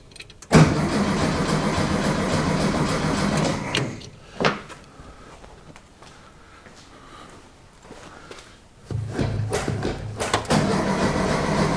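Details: VW Beetle engine sitting over twenty years, fuel tank cleaned and new coil fitted after no spark: starter churns for several seconds, pauses, cranks again without catching; carburetor jet found packed with old varnish.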